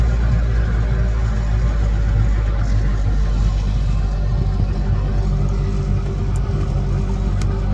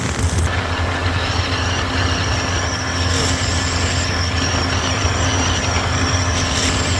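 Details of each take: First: 1983 Evinrude 70hp outboard after fuel starvation on throttle-up: engine holds a high steady speed and only slowly drifts down after backing off to about 25% throttle; something sticking, hard on the dog gear, cause unknown. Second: 1983 Evinrude 70hp outboard at high revs around 53–55 km/h, after new spark plugs and compressed-air cleaning cured lost full throttle: steady, even drone with no misses or surges, water and wind rush behind; running healthy.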